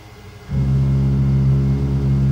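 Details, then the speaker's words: X-Carve CNC stepper motors with driver potentiometers dialed down to the low end: steady low hum with faint buzz, tone changing, motors labouring and barely getting enough current to turn. "and steppers are barely getting enough power to actually turn it"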